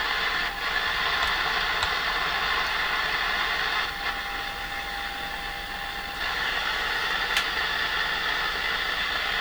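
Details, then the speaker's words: Sony TR-712 transistor radio, signal injection at volume control output: injected test tone comes through rough and distorted with a steady hissing roar underneath; audio stage fault, cause not yet found. "sounds bad to me sounds like a roar comes through with it"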